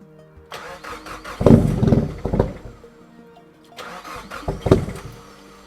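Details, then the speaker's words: Nissan Pulsar GTiR on a new tune, first start away from home on the way to its MOT: two uneven cranking bursts catch roughly and fade instead of settling to idle; hard, rough start, cause unknown, owner concerned. "So that didn't start up properly. That was really weird. It's got a new tune on it, and that's the first time I've started it up outside of driving at home."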